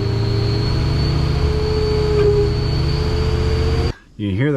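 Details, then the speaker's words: 2003 Ford F350 Super Duty 6.0 diesel after power steering pump replacement, at about 2000 rpm braking, steady high whine over diesel rumble; pump may not be fully bled; power steering pump whine. "well it's definitely whining right there you get that wine that's the pump"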